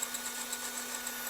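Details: Small brushed electric motor in a restored, gifted ride-on/RC vehicle spinning smoothly after throttle direction was reversed back to normal: thin, steady high-pitched whir with light rapid gear ticking; motor running normally.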